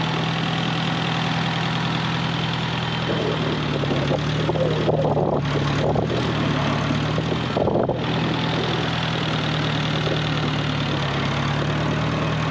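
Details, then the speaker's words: 1948 Farmall Cub tractor, long stored over winter, idling to warm up for an oil change on a roughly 33°F day: slow, steady low-pitched idle with an even beat and no knocks or misses, plus some handling noise midway. "It's been sitting a long time. See if she fires off. Whoop. Sounds like she will."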